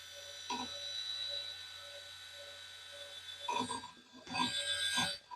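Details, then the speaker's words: Retro 90s custom PC booting Windows 98 after long storage: sharp clicking about twice a second over a faint spindle whir from the hard drive; still works; oxidation or moisture suspected. "I mean, it's working, but it's definitely, you can hear that it's clicking quite loudly. So I imagine some oxidation or some moisture or whatever may have affected that."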